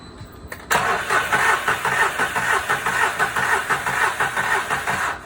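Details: VW Fox with P0303 misfire, coil packs already replaced elsewhere: starter cranks with an uneven beat about two pulses a second, one stroke lighter each cycle; low compression in cylinder three, an intake valve issue suspected.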